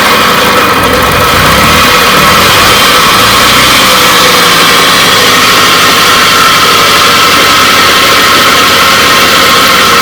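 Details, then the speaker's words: 1984 Puch Maxi two-stroke moped, cold kickstart after stator and points work and carb cleaning: steady idle with raspy, slightly gritty grind under the exhaust buzz; owner suspects worn bearings, not certain. "i think it sounds a little bit grindy in there bearings"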